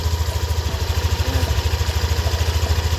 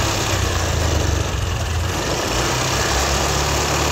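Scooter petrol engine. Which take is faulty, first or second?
second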